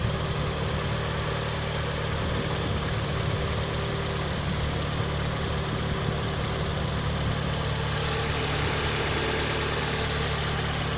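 Small four idling steadily with a dull knock tapping through the low rumble; there's a knock in the engine, source not pinned down.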